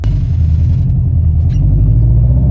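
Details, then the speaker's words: Turbocharged car, warmed up, after swapping to new OEM STI coil packs and one-step-colder plugs to fix spark issues: a deep, steady idle rumble with no misses, much smoother than before the repair; normal idle. "I didn't get a video of it I don't know if you guys could even tell but it's idling way smoother than it did before as"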